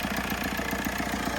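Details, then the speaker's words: Ford Capri at idle: dull, even thump roughly ten times a second from the top end, present for as long as owner has had it; a commenter suggested a worn cam, unconfirmed. Rhythmic thumping at idle. "You hear that thumping noise? Know if you hear it or not. Sounds like it's coming from the Yeah, I think somebody in a comment said it's a worn cam, but unsure."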